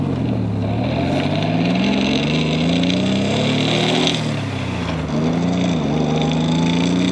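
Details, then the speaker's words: Nissan Z31, turbo at up to 11 psi, recently fitted new transmission, driving with window up: rough gravelly churning following road speed, described as "rocks in a blender". Noisy gearbox; bearing suspected, not confirmed. "the best way i can describe it is rocks in a blender you know it's not really the best description but it really just does sound like something just isn't happy in it"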